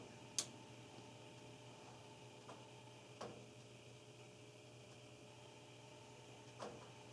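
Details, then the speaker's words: Furnace running, with irregular sharp drips about one every second or two over its steady low hum: water dripping inside, heard around 5 am along with loud oil-canning booms. "There's water dripping."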